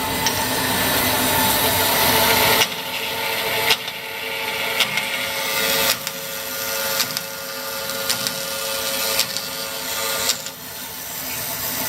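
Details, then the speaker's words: 1972 Grob 4V-24 24" vertical bandsaw, 3 HP: steady hiss and rasp of the blade through metal, with even feed and no chatter or squeal. It cuts nice and straight, like butter. Normal cutting. "cut nice and straight to cook like butter"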